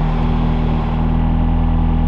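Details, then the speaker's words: 2022 McLaren 765LT Spider at idle with AC on: heavy low drone with steady pulsing throb resonating through cabin; owner believes sound deadening removed and engine mounted straight to rear subframe. "the next thing i hate about the car is just how much it vibrates like literally i'm gonna cut to some of the vibrations now just cause the ac is on listen to the vibrations"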